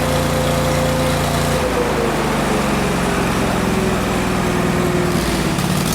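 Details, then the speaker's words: Miller Bobcat 225NT welder/generator with an older Kohler engine, fully warmed up after the idle control module was replaced: a steady, even note dips slightly and settles with no misses or knocks, running well now that the fuel pump works when warm. "okay so in the last clip you just saw the motor was actually running really well"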